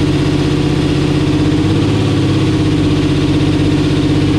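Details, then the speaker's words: 10.3L supercharged big-block Camaro with Holley EFI, temperature at 170, idle tuned lean around 14.6 air-fuel: loud lumpy idle with a fast heavy pulse wandering upward, running away as it does when lean. Idle surge. "what happened was we had the idle pretty lean like right like 14 6 which is pretty standard for an idle on a gas scale car well james was like dude it sounds freaking it's just running away and on a carburetor it runs away when it's lean like this"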